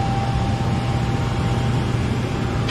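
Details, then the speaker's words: Furnace after replacing the transformer, control board, blower motor and capacitor, with no board error codes: a steady, even low hum of burners and blower with a faint constant tone, no surging or clatter; normal furnace operation. "It's loving it. Everything's working great."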